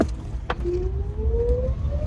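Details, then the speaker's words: Volta EV1 electric vehicle with new 72 V 100 Ah LiFePO4 battery and replaced motor cables, driving to about 55 km/h: thin whine rising smoothly with speed over road rumble; possibly from the differential, not confirmed. "Deferansiyelden geliyor olabilir çünkü bu ses. Bu tarz sesler duyduğunuz zaman da mutlaka servise gösterin."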